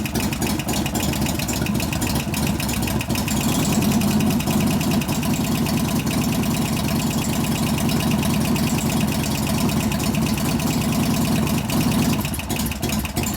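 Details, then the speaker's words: 1988 Harley FXR V-twin after a new Crane lifter was fitted: a light, fast tick rides over the lumpy idle and follows engine speed. The same lifter is still ticking and is suspected of not pumping up, not confirmed. "Same damn lifter still going."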